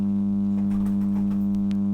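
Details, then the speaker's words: Denon AVR-1804 AV receiver with most channels blown and DC voltage on the speaker outputs: a loud, steady low hum with a buzzy edge from the speaker on the left channel in stereo mode, from a faulty output stage. "let's put on stereo can actually slightly hear something out of there let me just put this over to the left Channel now we turn it on now you can hear it"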